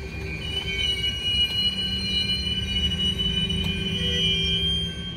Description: It stopped after several squeaking and clanging noises were heard.